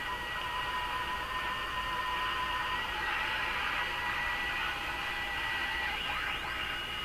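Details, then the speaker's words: Radio receiver on slightly reduced mains (about 105 V) during IF alignment with a BK 3030 sweep generator, tuning past 455: heterodyne whistles over hiss, one sweeping in pitch as the dial moves, instead of the expected AVC quieting; cause unknown. "What I'm hearing are all kinds of heterodyne tones and whistles as I tune through it."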